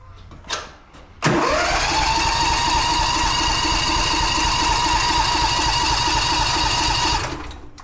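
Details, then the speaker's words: Old John Deere cold start at 11 degrees, possibly flooded: starter whirs steadily about two beats a second for six seconds, never catching; cranks but won't start. "it's 11° right now but this thing does not like to start cold at all so that's not good"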